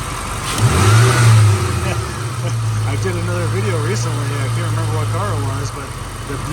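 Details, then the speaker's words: 1996 Ford Mustang Cobra convertible V8, 81,000 miles, nearly stock with original airbox, revved under the hood. It rises cleanly through a couple of blips, airbox audibly sucking air, then drops back to a smooth idle with no misses or knocks. Normal revving. "let's do that again that's something so good right listen to that listen that air box suck the air listen"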